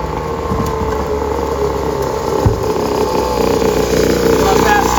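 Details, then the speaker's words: Temu 50cc dirt bike fitted with a built high-compression motor in place of the blown stock 49cc motor: a crisp, choppy bark that climbs in pitch as it revs, running cleanly, with much more power than stock. Normal running. "It's got so much more power. That red one is crazy."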